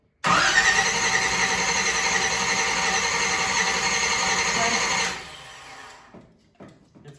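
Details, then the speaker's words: 1970 Chevelle 454 V8, first start after restoration, distributor power wire disconnected: steady fast starter whirr for about five seconds with even rhythm and no firing, cranking to prime fuel and build oil pressure; normal cranking. "let's uh disconnect the uh power wire off the distributor real quick okay so let's crank it get some gas up here get some fuel up there and then let's make sure it's got oil pressure"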